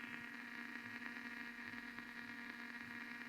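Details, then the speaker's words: Blaupunkt Arkansas stereo tube radio after tuning capacitor repair: steady hiss and faint crackle, louder at one end of band, no stations received; possible short suspected. "it's actually it's getting louder as I get to this end of the band but it's not picking up anything destroy no way I can hear the hiss it's louder at one end"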